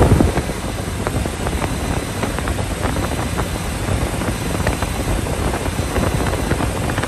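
A petrol car engine fires up with a brief louder burst, then settles into a steady, even idle.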